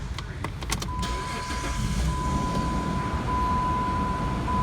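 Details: Jeep Grand Cherokee with oil light on, after engine flush at operating temperature: catches after a few clicks and settles into a steady, even idle with faint high whistle, no ticking or knocking; oil light stays off; normal idle.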